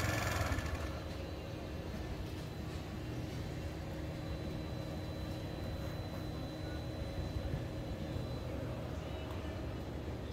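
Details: Daelim Couple 50cc two-stroke scooter, ridden under 1000 km a year, at its final start check after a street replacement of the broken drive belt. It ticks over quietly and evenly with no belt slap or squeal. Normal idle.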